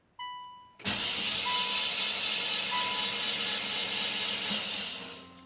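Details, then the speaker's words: Nissan Sentra after head gasket job, cranked with spark plugs removed to build oil pressure to the head: starter spins fast and evenly about four seconds, free whir with no compression beats. "but yeah it sounded like there was no compression because there isn't any because like I said no spark plugs"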